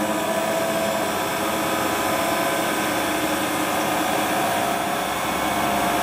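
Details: Hotpoint Ultima WT960 washing machine (7kg) test spin after repair with a brand new replacement drive belt; smooth constant rushing hum from spinning drum, no knocks or belt squeal; clean, healthy spin cycle.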